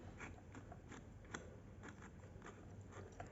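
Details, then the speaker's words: Sony TC-560 tape deck DC motor running normally before repair: faint irregular gritty grinding crunch with scattered ticks; magnetic material of the speed-sensing mechanism was falling apart inside the motor. "uh another thing that I noticed is that the motor makes a strange noise listen to it you can listen to it it is heard while uh working normally you hear this grinding noise"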